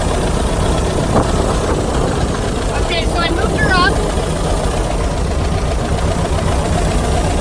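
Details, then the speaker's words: 1982 VW Vanagon L, air-cooled 2.0L flat-four, fuel-injected, automatic; had no-start trouble, air intake boot and meter cleaned, timing checked: steady, even low rumble with no stumbling or hunting, sounds better; normal idle. "in a mess just a little bit so I think about help she sounds better"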